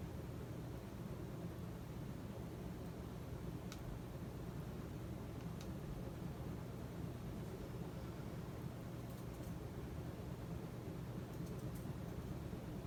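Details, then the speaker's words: Casablanca S3 ceiling fan (2002, 188mm x 20mm motor) on high with new capacitor, back up to speed: steady airy whoosh, low hum, no wobble, ticking or rubbing; normal. "you can see that it's back up to speed!"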